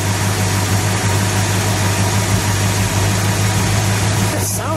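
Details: Barn-find 1970 Plymouth Superbird with factory 440 CI V8, parked since 1975, motor reworked, driven 130 miles the day before: deep even V8 rumble at steady idle with a quick blip near the end; runs smooth and healthy.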